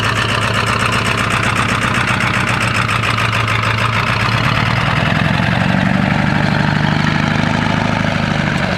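Cold diesel idles with an uneven, shaky clatter and a wavering beat, consistent with misfiring from worn injectors.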